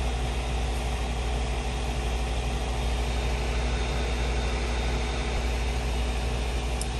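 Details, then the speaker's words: Acer Nitro 5 laptop CPU/GPU fan at idle: small steady low rumble with faint whirring hum, getting louder as fan rpm rises; cause found on disassembly: four wires contacting the fan blade. "two the obvious one would be noise such as this it sounds like a small rumble when the pc is idle as soon as the rpms pick up it starts to get louder and more noticeable"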